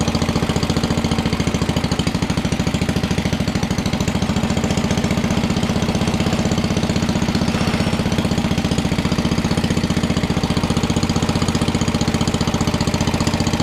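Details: 1961 International Cub Cadet Original garden tractor with a 7 hp Kohler single-cylinder, first start-up after choke, now running with no choke at throttle all the way down: steady, even thumping about two beats a second, no misses or knocks; normal idle.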